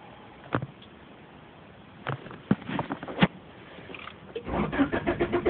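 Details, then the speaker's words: 1991 Honda Accord with used replacement engine and new alternator, stalled while driving; scattered clicks then a short burst of uneven cranking that never fires, check engine, battery and oil lights on; owner suspects distributor: crank no start. "just listen see I'm turning the key pressing the gas doesn't turn on I don't know what's wrong with my car"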